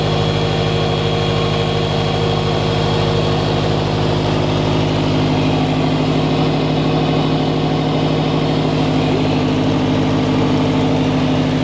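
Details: Turbocharged FRS idling just after first start following turbo install, not yet tuned or at operating temperature: steady, even low hum, no misses, rattles or belt squeal; smooth healthy idle.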